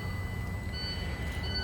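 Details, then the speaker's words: International ProStar with Cummins diesel at idle, intermittent throttle loss and derate, code 131: dash warning beeps twice as wiggled harness near the throttle pedal position sensor connector shows an open circuit (5 V dropping to 1 V); throttle pedal sensor open circuit warning beep. "so definitely an open circuit and right here is where I'm wiggling right in here and you can actually hear the code show up in the dash by that beeping"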